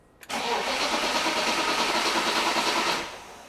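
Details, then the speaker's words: 1996 BMW E36 328i, M52 inline-six, 193k km, after oil pump disassembly and VANOS unit replacement: cranking with ignition coils disconnected and fuel pump fuse pulled to build oil pressure; even starter churn, no firing, engine turns freely, normal cranking. "I also pulled the fuel pump fuse, and now we're gonna crank the engine over to build up oil pressure because we had the oil pump disassembled and we also replaced the Vanos unit."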